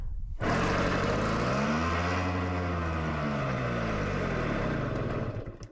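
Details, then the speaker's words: 1964 Yamaha Omaha Trailmaster that sat a while, fuel on reserve: it fires on the kick, revs swell unevenly, then sag and die, repeatedly; won't keep running. Owner suspects plugged carburetor jets. "So, we can toss run, turn the fuel, on reserve, and then we kick it over and it'll fire, but it doesn't run."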